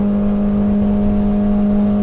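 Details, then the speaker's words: 2010 Arima Sea Ranger 19 with Yamaha 90HP outboard (about 900 hours), full throttle at 31.6–32 mph while trimming up: steady high flat drone pinned, engine hitting the rev limiter, driver backs off slightly without losing speed. "Yeah, you can hear that hitting the rev limiter. Right there, I had to back off a little bit."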